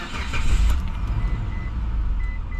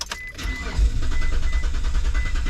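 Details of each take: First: 2004 Mitsubishi Montero started with a working transponder key, AC on: a quick crank and catch, then a settled, even low idle that keeps running without stumbling; normal start, unlike the old original key that fails. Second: 2004 Mitsubishi Montero: starter cranks the engine at a steady, normal pace with even pulses but it never fires or catches; crank no start from no fuel, spark confirmed by timing light.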